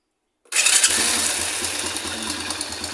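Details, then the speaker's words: Motorcycle magneto (Racal MD100) with newly installed Bendix kit for push-button start: starter engages cleanly, engine fires at once and settles into steady light idle, no grinding or slipping; Bendix kit now grips, normal start. "Gumagana. Kumakapit na yung Bendix kit. Umikot na siya."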